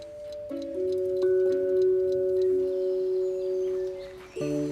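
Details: 1960s wind-up alarm clock after restoration, silent for over 30 years before: steady ringing bell tones with faint tick underneath, ringing cleanly; normal alarm ring.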